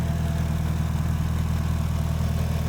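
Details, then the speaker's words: Evo engine just started cold after the head was resurfaced and O-ringed, being checked for leaks: low, steady, even idle with no misses, ticks or rattles. Normal idle. "So car is running, everything looks good."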